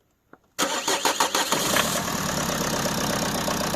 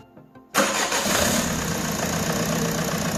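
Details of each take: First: Peugeot 307 2.0 HDi diesel that wouldn't start after sitting a week: after a short crank it catches and settles into a steady idle. Air was entering the fuel system through a gap in a leaking fuel sensor. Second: Peugeot 307 2.0 HDi diesel after replacing the leaking water-in-fuel sensor that let air into the fuel system. Silence, then starter catches and engine settles straight into a steady, even idle with no stumbling; normal start and idle.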